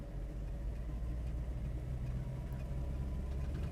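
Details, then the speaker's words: 2008 Mercedes SL550 after power steering damper replacement, warm after about 15 minutes of driving, power-braked to 1200 rpm: smooth quiet engine hum with no growl, grind or vibration; problem resolved. "And it's nice and quiet, just like what an SL550 should sound like. So no growling, no grinding, none of that."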